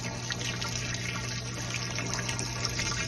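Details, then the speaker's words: Mabe washing machine on spin after replacing the drain pump, whose impeller had broken and which only hummed without draining: water rushes and splashes steadily over a low motor hum, pump now draining normally. "vamos a poner en centrifugar para ver que el agua Ah ya no zumba la bomba"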